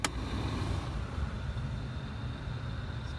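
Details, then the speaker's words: Vauxhall Corsa C heater blower after blower motor resistor replacement (previously only setting 4 worked); settings one, two and three now run, steady even whoosh with low hum and no rattle or speed hunting; normal blower operation. "There we go, setting one. Yep, setting one's working. Setting two, you can hear it. Setting three."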